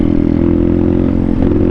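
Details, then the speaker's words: Thumpstar single-cylinder pit bike: idles fine but bogs and stumbles at full throttle even after the carb was cleaned; it sounds like a dirty carb, and the owner suspects internal engine damage. "You can hear like it wants to go, but it's like it almost sounds like a dirty carb, like where it starts bogging out."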